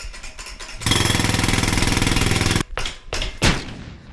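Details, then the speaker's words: 1990s Schwinn Homegrown mountain bike, front suspension fork with visible coating and bushing missing inside, compressed by hand: loud rapid rattling knocks, then heavy separate clunks, bottoming out; suspension fork clunk, cause not confirmed. "That's not what suspension is supposed to sound like."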